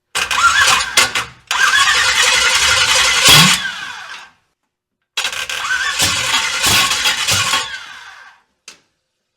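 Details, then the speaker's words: First start of a 500 hp V8-swapped Honda on very little fuel: two bursts of cranking and ragged catching, stumbling and dying, ignition timing well off, transmission found not in neutral; rough start with abnormal noise. "what is that noise that was a weird noise we definitely had the timing off a lot"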